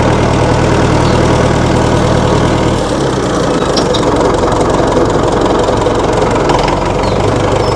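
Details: 1960 Massey Ferguson FE35 tractor, 4-cylinder diesel, after sitting unused in a paddock for a long time: settles into a steady low clatter at idle with no knocks or misses, sounding healthy.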